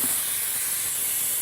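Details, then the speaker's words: Astral 420 cartridge pool filter with the pump shut off, pressure gauge reading about 12 psi: steady airy hiss as trapped air is bled off the tank, which must fully stop before opening; normal air bleed-down. "It needs to completely quit hissing, that sound that you're hearing, or it's going to be really hard to pull this off."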